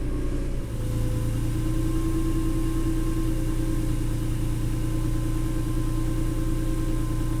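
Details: 290,000-mile Honda NSX after a track day at Nelson Ledges, engine idling and warming up: a steady high whine over the idle that grows more pronounced as it warms and doesn't follow engine beat.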